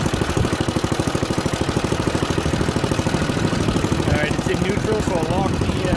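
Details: Junkyard Ditch Witch C99 trencher, old, year unknown, small single-cylinder engine pulsing steadily and briskly, pulling evenly under load as the drive and chain are engaged, some metallic chatter; runs fine.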